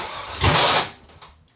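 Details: 6.0L V8 in BMW cranked while testing injectors, a spark plug lead unplugged; one harsh burst as starter engages, then stops dead; gas later pours from exhaust, cylinders flooded with fuel, hydrolocked.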